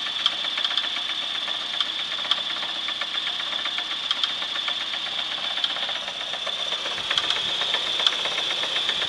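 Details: 1996 Chevrolet S10 4x2, 2.2L I4 MPI, 146,300 miles, running: steady sharp metallic ticks over thin high engine note; regular engine knock of unknown cause, engine for sale for parts.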